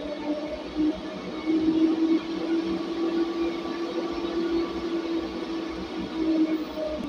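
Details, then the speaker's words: DC cooling fan in a server rack panel running at full speed on a 53.3 V supply before PWM speed control is set; steady loud airy rush with a firm hum, far too noisy. "ini kalau teman-teman dengerin ini suaranya kan bising banget nih ini akibat ada kipas yang berputar di sini yang memang putarannya itu belum bisa dikontrol belum bisa dikendalikan"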